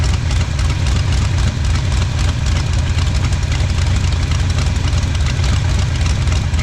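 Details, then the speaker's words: 1977 Pontiac Firebird drag car pulled from the scrapyard after sitting about 36-40 years; first run, heavy even big-block idle with rhythmic lope near four pulses per second, no tapping or smoke, exhaust blowing out dust; healthy, sounds like it has a cam. "thing sounds good no smoke or anything I mean it's just blowing out dust from just being in the the exhaust but shoot that thing sounds really really good"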